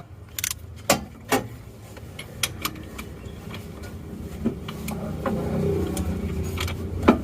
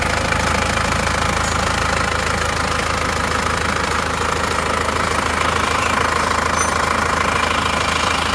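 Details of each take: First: Isuzu Panther diesel engine that had an engine overhaul (liner work) one month and 200 km earlier, towed in seized and won't start; turned over by hand at the front pulley it gives scattered sharp clacks, no even rhythm: broken crankshaft (con-rod or bearing also suspected). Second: Isuzu Panther diesel after rebuild of broken crankshaft (failed one month, 200 km after engine overhaul), new clutch lining, first start: steady idle, even light clatter about 200 per minute, no heavy knock; sounds normal.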